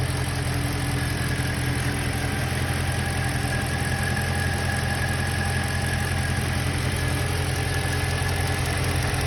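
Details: BMW M3 at idle: steady low hum with faint irregular tapping, strange noise of unknown cause; unusual engine noise at idle.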